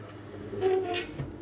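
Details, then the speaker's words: Dodge Caravan power window (same on Town & Country and Voyager) makes a brief high squeak and then dry scraping as the glass goes down. It happens only with the door shut, not with it open; the window motor is being worked on. "kind of scrapes and squeaks but it doesn't do it if the door's open so I'm going to raise the door if the door's open no noise if I shut the door makes a scraping noise when it goes down"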